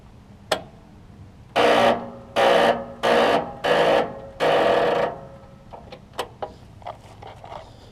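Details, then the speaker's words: Troy Bilt Pony riding mower tried on choke without the charger after tightening a terminal: several half-second buzzing chatters and no crank. Owner suspects the solenoid or a bad battery, not confirmed; starter clicking, no crank. "Still doing the same thing, which makes me think it might be a solenoid issue still. Very interesting."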